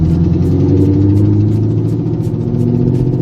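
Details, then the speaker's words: Idle with a sharp, regular tick about three or four times a second over the rumble: exhaust header leak, traced to a header bolt broken off in the block; headers removed and gasket replaced. "First things first, as you guys may have seen a couple videos ago, I was having a terrible noise coming from the car here that frankly scared the shit out of me, and I'll give you a quick clip here."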